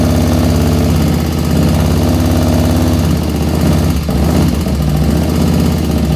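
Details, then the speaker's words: 1985 Harley FXRS Evo V-twin, freshly rebuilt, at idle: quick regular light tapping over a loud lumpy idle; owner suspects lifter noise, not rocker shaft play, and plans to pull the lifters. "uh side to side and you can get some noise but that's not the noise i'm hearing i'm hearing tap it noise"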